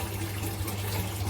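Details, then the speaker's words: Eheim Quick Vac Pro gravel cleaner modified for stronger suction in a 600 L gravel-free tank: steady low motor hum with water rushing and gurgling evenly. It is running after the mod and pulling strongly. "s I got it running finally look at that it's powerful people this is like I think you can hear it"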